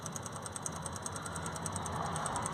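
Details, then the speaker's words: Ford DPF vaporizer fuel pump, heard from underneath the car with ignition on after the blocked vaporizer repair: faint, rapid, even ticking about ten a second as the small pump primes fuel and purges air, normal. "you'll hear it should be able hear a little faint ticking noise there from the fuel pump that's just down there just there is the fuel pump this little tiny fuel pump here"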